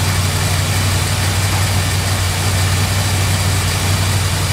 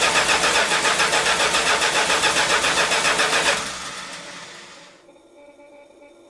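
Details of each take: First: 1971 Chrysler New Yorker 440 V8 after a fuel system overhaul (new tank, sender, fuel pump, AVS 2 carburetor), first start in 5 months. Deep, steady cold idle with no stumble, after the too-high choke idle was backed down before warm-up. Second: Dry carburetor on a 1971 Chrysler New Yorker with newly replaced tank, sender, fuel pump and AVS carburetor, first start after five months stored: even starter cranking about 3.5 turns per second, never firing, fuel bowl empty.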